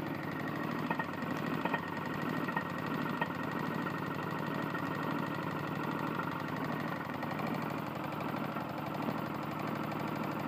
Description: My Tecumseh lawn mower has a serious connecting rod issue